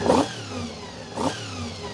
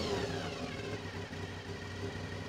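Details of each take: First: Honda VFR400 NC24 after carb rebuild and balancing, still on pilot jets: two quick, clean throttle blips rise and fall back to a settled tickover without hesitation; ticking over nicely, crisp and responsive. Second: Honda VFR 400 (NC24) with blocked carburettors, after strip, clean and rebuild, while balancing carbs to the lead carb: quiet idle swells and falls in surges as each carb is turned, pushing idle up so it must be turned down.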